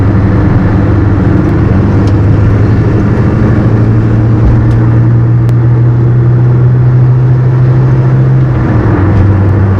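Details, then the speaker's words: Peugeot 205, on the road at about 60 after rear beam, brake line and wheel changes, camera on seat: steady low droning hum under road noise from a worn left wheel bearing, louder when leaning left in right turns. "I can hear the left wheel bearing but we knew that from the beginning"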